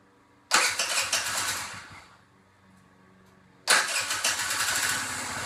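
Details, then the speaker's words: 2014 Tao Tao 50cc scooter after carburetor fix for slow takeoff: engine catches at half a second and revs, fades out, then fires again and holds a crisp buzzy run; carburetor was the problem, now takes off normally from a stop. "the carburetor was definitely the problem uh now takes off from a dead stop just like it should"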